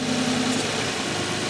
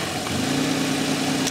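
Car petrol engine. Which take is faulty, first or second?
first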